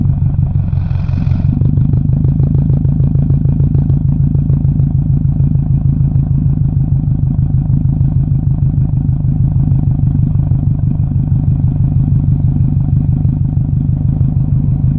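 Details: 2007 Subaru WRX exhaust at idle: uneven, lumpy pulse with occasional irregular beats rather than a clean steady thump, suggesting a possible misfire.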